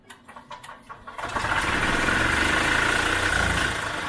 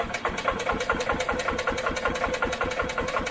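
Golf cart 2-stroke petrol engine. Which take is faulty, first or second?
second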